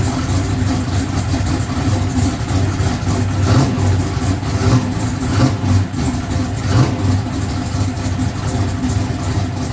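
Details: No-prep drag car engine warmed up before Rockingham, after clearancing the rocker arms that were bumping the valve cover: a loud, choppy big-cam idle with a few throttle blips, no valvetrain clatter over the rumble.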